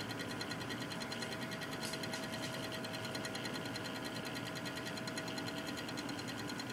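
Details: Cooler Master Real Power Pro 550W PC power supply running, rapid fairly regular ticking/clicking over a steady electronic hum.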